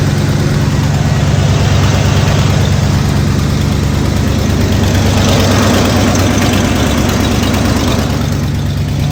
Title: 1989 f150 ignore the exhaust leak 😂